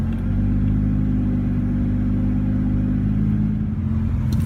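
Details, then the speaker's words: 1989 Toyota Supra with 2JZ swap, S366 turbo, 1000cc injectors, ECU Master standalone, after a week-idle cold start at about 77°F: steady smooth rumble, slightly raised idle from AC idle-up, no ticking or misfire. "I do have an idle up compensation built into the ECU, so it should kick on and bump the RPMs up, which it did."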